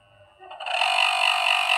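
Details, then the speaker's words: Table fan motor returned as a replacement after days of use; spins up into a steady, piercing high-pitched whine; noisy fan motor, bad brushes and a worn shaft bush suspected. "कोई आवाज करने लग जा रही है। ऐसे करके यह भयंकर वाली कमी है इनमें। तो क्या है कि इनके बुरश खराब हैं।"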